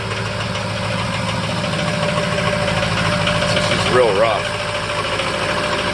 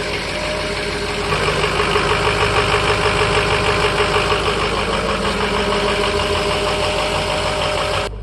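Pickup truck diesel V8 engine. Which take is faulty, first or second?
first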